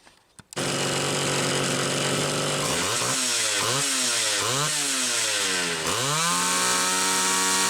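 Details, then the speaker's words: Homelite Super XL two-stroke chainsaw with new fuel hose, after metering lever spring stretch, high-speed jet set slightly rich: blips up and down cleanly, then settles to a steady high buzz; running healthy. "so it sounds good"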